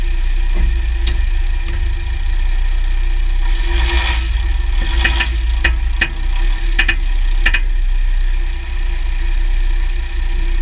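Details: 2009 Jeep Grand Cherokee WK 3.0 CRD diesel, Quadra-Trac II, GoPro on skid plate: diesel rumble with scattered sharp clicks and a mid-clip cluster of clunks as load shifts; driveshafts test OK, front diff bushes and transfer case oil already changed; source unknown.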